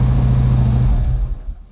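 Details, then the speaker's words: Harley-Davidson Ultra Classic after starter replacement: idle revs a little high, probably cold; deep, even V-twin beat idling a touch fast, then fading as it shuts down; nothing mechanically wrong. "And it sounds a little high. Oh, the rev? It's just probably cold, and just, yeah, try it again."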